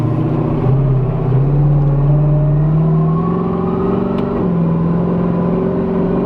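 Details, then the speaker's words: Camaro warmed up on a 41° day, cruising with no load on: a steady low driveline drone that climbs slowly in pitch and has grown louder with driving. The rear end is suspected but unconfirmed. "And then when there's no load on like the trans just like right here it's humming"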